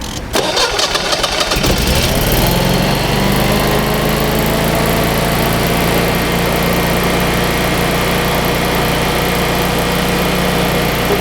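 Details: Generac standby generator starting from its dealer test menu: a brief crank and quick catch, then a smooth, steady drone that settles evenly with no misses or knocks. It then reads about 60 Hz output frequency, a normal start and run.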